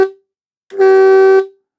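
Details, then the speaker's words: Vintage RVB mechanical oscillating electric horn with points, tested: loud buzzing rasp starts sharply, holds about two-thirds of a second, stops cleanly; working, pretty loud, sounds like a car horn. "okay so I think we can call that working and that's pretty loud actually sounds like a car horn"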